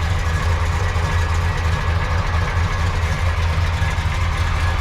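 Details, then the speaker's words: Supercharged 1976 Corvette C3 Stingray, first start after sitting for years (the fuel pump was initially off): a deep V8 idle with a lumpy, uneven beat and drop-outs. It is running rough, cause unknown. "this run a little rough but huh it [Music] [Music] runs that was a little unexpected it turned over very quickly"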